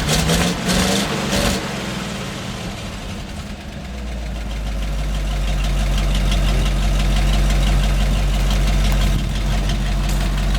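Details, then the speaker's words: 1975 GMC C6000 with 350 V8 and 5-speed, first start in 10 years, idling with deep steady rumble and a light, quick ticking puff: small exhaust leak, not too bad. "a little bit of an exhaust leak not too bad"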